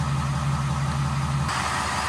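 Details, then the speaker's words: 2020 Ford F450 cab chassis 6.7L diesel idling after lower and upper fuel filter change, checked from underneath: even steady idle, regular low throb, no misses or knocks; no leaks, running fine. "I don't see any drips I don't see any leaks that's good truck is running fine ready to go"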